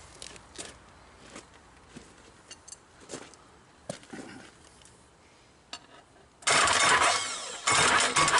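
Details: Perkins 1000 4.2 diesel whose injection timing somehow changed, starting attempt at partial throttle: a few scattered clicks, then about two seconds of steady cranking with no firing; hard starting, cause suspected timing/injector pump, not confirmed.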